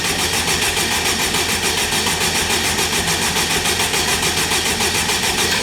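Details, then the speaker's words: Forged turbocharged Honda K20 in a Wildcat buggy, freshly oiled, ECU plug unplugged so it can't fire: steady, even whirring crank that never catches, spun to build oil pressure; cranking with ignition disabled. "let's try and crank it bars has just put some oil in it so I'm going to unplug one at plugs on ECU so it can't fire up and I'm going to crank it till oil poite goes out just so we've got oil pressure"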